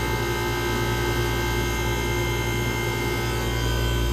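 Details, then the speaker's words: Vintage air conditioner (Comfort Aire): compressor fires right up, steady low hum with even fan rush, no clunks, rattles or stalling; blowing ice cold, running normally. "just like that the Comfort Air is ice cold ice cold just like that it fired right up with these ain't even having any problems"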